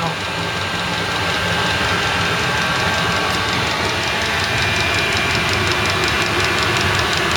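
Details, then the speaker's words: eBay 8 kW Chinese diesel heater in a 10x10 ft workshop at 11 °C, display bars all the way up, full heat output. Loud steady fan and burner roar, no surging or popping. Normal full-output operation. "you notice the the bars on there all the way up so i think that means it's pumping it's wide open heat output right now"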